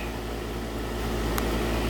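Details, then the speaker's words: Heat pump outdoor AC unit just after contactor replacement: steady, even low compressor hum with smooth fan rush, no knocking or rattling; running normally and cooling again. "yeah look at that it's going to be some cold there now and you can really hear that compressor humming in there"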